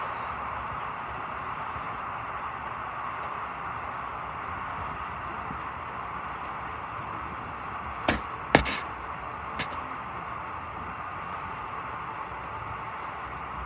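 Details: Clothes dryer that made loud noise while rotating, test run after part replacement: quiet, even whirr of the turning drum with only a couple of brief clunks; normal rotation sound.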